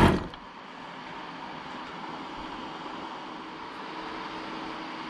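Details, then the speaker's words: 15-year-old ARB CKMAT12 twin air compressor from a Jeep CJ, after one pump was rebuilt with piston barrel kit 320303 and a new fuse fitted: steady even pump hum with the cooling fan whirring, no air leak or knocks; healthy. "of cool hearing the fan kick in when it's on i hadn't realized that before always using it with the vehicle off which is a smart thing to do it's not good for the battery so i wasn't sure if there was an air leak but it's clearly just the fan cooling"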